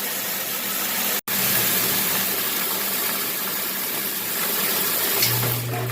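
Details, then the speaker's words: Washing machine with the lid switch bypassed by a screwdriver, on the drain cycle after filling: steady pump whir under rushing water, no straining or rattling. The water drained, so the drain pump works normally. "We're going to let the water fill up, and then we're going to put it on the drain cycle."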